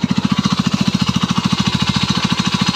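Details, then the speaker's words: Engine after adding 10 ml plus 10 ml of RVS additive, compression 15.5: steady fast knock about thirteen blows a second while running, less sharp than before; owner suspects a failed bearing; engine knock. "будет стук не такой стал резкий чуть есть там какой-то подшипник развалился Но вот такого нет"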